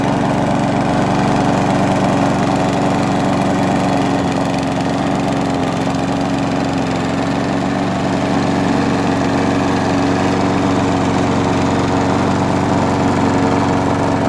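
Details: Abandoned Huskee XT650 mower engine, tied down, started after a gasket reseat and cleaned threads; steady single-cylinder drone at constant speed with a clean hum, no surging, knocking or misfire; running well.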